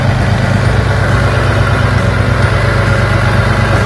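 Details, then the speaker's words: 2004 Infiniti G35X V6 at idle, code P0300: rough, stumbling low thump about three times a second; misfire in cylinders 4 and 6 traced to damaged spark plug/coil wiring. "un infiniti 2004 tiene falla de dos pistones marca el p 0 300 no dice exactamente cuál fusiones"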